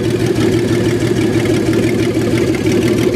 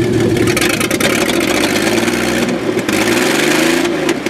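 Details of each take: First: 1994 Astro van engine after a base timing check: steady even idle with low hum and no misses; normal idle, though a misfire shows when revved. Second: 1994 Chevrolet Astro van after a base timing check: good idle, then revving up and down with an uneven stumbling note and dropouts. Misfire of unknown cause; compression and spark plug checks are planned.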